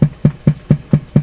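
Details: Canadian Pye Model 39HC valve radio at low volume, no antenna, full supply voltage: low, even thumping pulses about four per second like a slow engine idle, steady motorboating oscillation; cause still being hunted.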